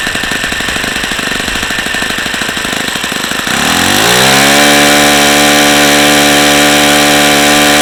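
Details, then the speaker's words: Saito FA-45 original ringless ABC two-piece-head model engine (suspected bad bearings): a high buzzy scream rises then holds, and high RPM drops as the engine gets hotter, sustaining about 8850. Owner concludes it is old, very used and worn out. "as you can see the highspeed high RPM is dropping as this engine continues to get hotter so that's just leading me to believe that this engine is just simply wore out it's just a very used engine and it's worn out"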